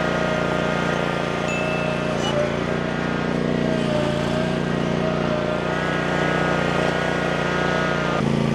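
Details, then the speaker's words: Land Pride ZTS 48-inch zero-turn mower, started after slow cranking and choke: even steady engine drone, slight transmission whine with no groaning; engine and responsive transmissions run healthy. "She's a little funky, but she's a good runner. Might need a little tinkering here and there, but the engine sounds good and the transmissions they seem to be working really good, too."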